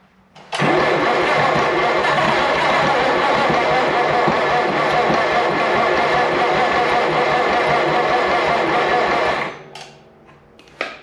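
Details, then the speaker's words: 1951 Farmall Cub tractor, sat about 15 years, cold start around -10 with ether: fires and runs about nine seconds with a dull uneven knock under the exhaust beat, then dies; suspected bottom-end knock. "I heard that but it does sound like we have a bottom and knock which is not good"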